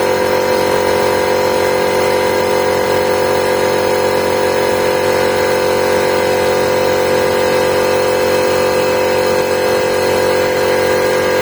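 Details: Mikkeli AC-50 air compressor after warranty repair (replaced cover, oil refilled after low oil was found; complaint was humming without starting): steady, even motor drone with constant pitch, running normally up to 8 bar and shutting off automatically.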